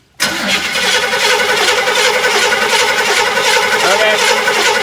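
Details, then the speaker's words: Barn-find 1967 Chevy El Camino, L34 396 big block, sat nearly 21 years, points just cleaned with sandpaper: the starter spins the engine at a steady, fairly fast churn and it never fires. No spark is seen, a crank-no-start. "okay yeah i'm not seeing any spark there"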